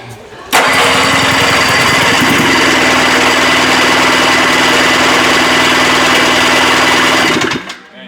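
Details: 1974 Johnson 440 snowmobile two-stroke, 309 original miles, sat for decades, jump-started with sparks and a backfire: cranks with rapid, ragged chatter for seconds but never settles into a clean run, may need choke; hard starting, cause unconfirmed.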